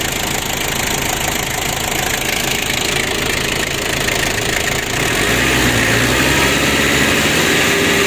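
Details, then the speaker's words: Ford Ranger diesel, temporarily aided by an added 'rotax' for fuel circulation. The clatter rises when the throttle opens, but the revs climb only a little and won't go high. The injection pump is faulty and is limiting engine revs. "kali ini tidak bisa juga sangat tinggi teman-teman masalahnya untuknya sudah bermasalah ya"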